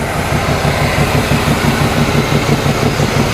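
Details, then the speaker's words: 1987 Chevrolet Monte Carlo SS, first start after sitting 20 years, heard under the hood: rapid regular ticking puff about three per second over the idle; exhaust leak to be addressed. "I hear an exhaust leak right here. So, we'll have to address that."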